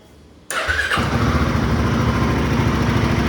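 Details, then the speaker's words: Royal Enfield Himalayan 450 with new 3D-printed velocity stacks, started without clutch: half-second starter whirr, clean catch, steady even thumping idle with no knocks. "But anyways, let's listen to the brand new engine. I'm going to put a little bit of load to the starter motor without the clutch, but then again."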